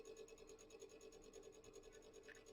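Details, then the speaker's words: Acer Aspire XC-830 mini desktop (Intel J5040): loud constant raspy scraping over a steady hum with fast flutter from the internal cooling fan grinding as it spins; fan to be replaced. "Yeah, it's spinning. Something that's spinning on the grating. And if you guess the fan or a fan, it is it is correct."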